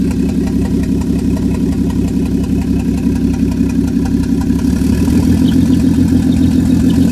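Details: 1JZ petrol six swap idles unevenly with an irregular, stumbling pulse and a faint high squeak. Owner suspects the turbo is going; vacuum is stuck at 18 inHg, and it breaks up around 2500-3000 rpm. Cause unconfirmed.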